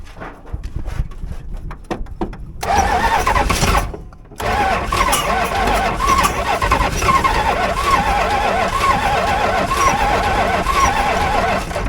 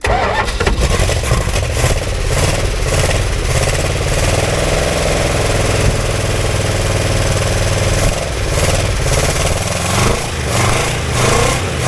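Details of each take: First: 1965 Barracuda with 273 V8, start attempt after carburetor work: starter whirs in long steady bursts at about four turns a second but never catches; cranks with no firing, more fuel tried, cause not confirmed. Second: Barracuda with a 273 V8, fired with gas poured down the carburetor: cranks, catches and settles into an even, steady idle with no knocks or misses; it runs.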